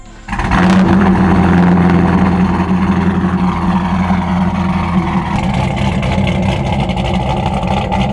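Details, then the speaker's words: Corvette V8 with new fabricated exhaust and Borla "neighbor hater" mufflers: deep steady burble, loud but even, briefly rising then smooth idle, no ticks or knocks; healthy exhaust note. ">> Sounds good though. >> It's not like crazy loud, too. It's like nice loud. >> No. Yeah. It's got a good sh to it."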